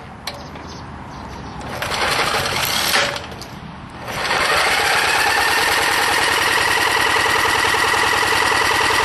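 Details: Old tiller retrofitted to run on propane, no air filter, fuel orifice drilled out large; starter cranks, engine catches and settles into a steady rapid even chatter, running normally.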